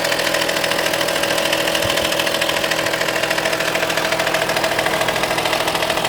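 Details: Audi A4 2.5 TDI diesel at idle, glow plugs replaced, injectors OK: even idle with a steady thin whine and faint regular rhythm from the driver's side; owner suspects the accessory belt but is unsure.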